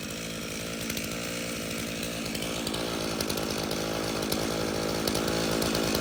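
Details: Stihl chainsaw (customer's MS 391 or MS170), dropped off because it would not start; refuelled with his own fuel, which had some dirt in it, then started outside at night. It starts and runs, buzzing at a steady high pitch with no bogging or sputter.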